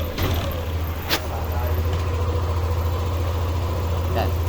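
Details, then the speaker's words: Yamaha NMAX V2 scooter started after replacing the timing chain tensioner, whose spring had failed and no longer pushed the chain: smooth, even low idle hum, now quiet with no chain rattle. "so ayan niyo tahimik na siya ayan so ang problema lang niya yung kanyang tensioner"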